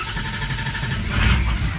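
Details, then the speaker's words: 2004 Ford Powerstroke diesel, cold start after long crank: deep, uneven rumble struggles and sags, dying; IPR maxed out but no low-pressure oil yet; cause suspected, not confirmed. "Still no low pressure oil, and it's dying. IPR did max out."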